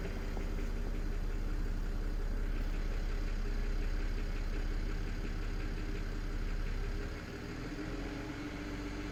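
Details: BMW N53B30 cold start. Steady light clatter at idle after it drops to 700 rpm, about four ticks a second over a low hum. Source unclear, possibly the oil pan or exhaust manifold area. Oil pump already replaced, rod bearings checked good. Fades with slightly higher rpm and once warm.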